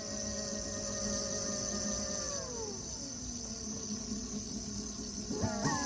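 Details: Segway ZT3 Pro D scooter: tonal hub-motor whine drops in pitch as it slows, then climbs sharply when it speeds up; owner asks whether it's normal; motor whine of unclear cause.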